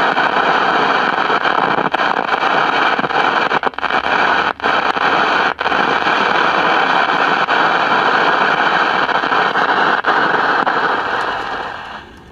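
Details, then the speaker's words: CBS 5-tube AM radio: loud steady hiss with scattered crackles and no station. The volume control turns the static down, so the fault is ahead of the audio output stage. "okay so the volume control regulates the static we can turn the static down so we know it's not in the uh audio output stage"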